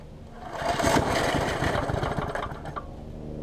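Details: MTD basic mower repowered with a Briggs pressure-washer engine, cleaned, after a few primes: a quick pull, engine catches and runs with a brisk, even patter before settling; starts and runs fine.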